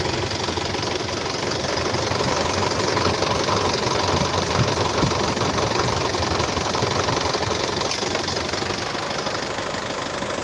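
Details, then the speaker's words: 2014 Isuzu D-Max 2.5 VGS diesel pickup, 70,000 km, first cold start of the morning: steady, even diesel clatter at idle, no misses, knocks or wandering speed, no smoke or vapour; smooth healthy idle. "เสียงเครื่องนิ่มมากเดี๋ฟังเสียงเครื่องกันนะไม่มีควันไม่มีไอครับ"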